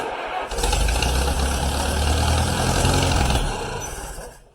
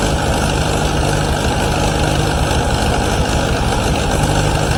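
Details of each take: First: 1953 Allis Chalmers WD45 tractor, first start attempt after over a year of repairs: starter churns the engine steadily about four seconds but never catches and winds down; cranks but won't start. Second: 1953 Allis Chalmers WD45 tractor after its first start following a rebuild: heavy, steady low rumble with an even firing rhythm and no knocks or ticks. It runs normally, though coolant leaks at the manifold studs and the head gasket.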